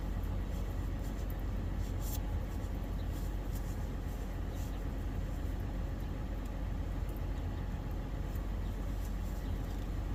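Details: 2015 Toyota 4Runner 4.0L V6 (1GR-FE) started after an oil pressure switch replacement to check for leaks and the warning light. Steady, even low rumble with no ticks, knocks or stumbles: normal idle.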